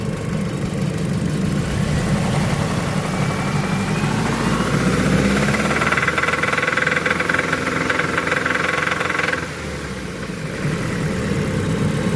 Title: Mazda 3 2004 knocking noise